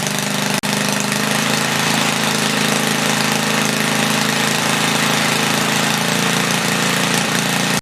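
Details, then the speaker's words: 1976 Briggs & Stratton 3 hp Tilly rototiller after cleaning points and leaning the main jet, set to 3400 rpm, no load, loud open exhaust: steady single-cylinder buzz, slightly fluttery, no misses or surging; normal running. "there we go beautiful i set the rpm at 3400 it's a little fluttery but uh it's also not under load it runs pretty good i'm happy with that"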